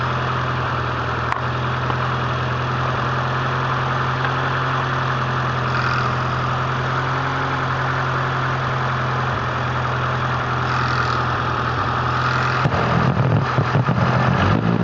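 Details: Honda CRX with B18A1 block and B1 head idling: steady petrol idle with a faint constant high whine over the low rumble, after the timing belt was re-tensioned a third time; owner suspects belt tension, cause unconfirmed.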